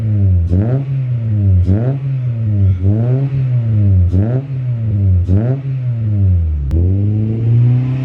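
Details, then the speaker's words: H22A4 Honda Prelude with low, rough idle (about 400 rpm); right after throttle body cleaning, idle surges and sags roughly once a second in an uneven hunt as cleaner burns off, smoking; should smooth out within minutes. "gonna run rough once all the throttle body cleaner evaporates out of the throttle body it will run a lot smoother"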